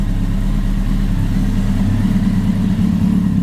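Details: Kawasaki ZX10R after an engine-out gearbox rebuild, first run before warming up: a smooth, steady low idle with an even burble, no knocks or misses, and no smoke. Normal idle.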